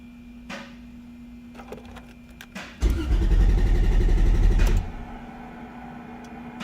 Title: Crank no start when at operating temperature.